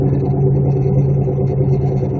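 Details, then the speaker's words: 1999 Malibu at about 35 mph: a heavy, constant low drone and growly rumble under the road noise. Badly worn wheel bearings, needing immediate fixing; the brakes were recently replaced. "so dude was saying that was the worst bearings ever heard he couldn't believe it check these out"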